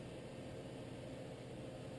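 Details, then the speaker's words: Whitfield pellet stove, completely cold after sitting, thermostat raised to start it, running in slow mode before feeding: quiet steady low hum and airy rush with no knocks or rattles. "so you can hear right now she's in slow mode she is barely"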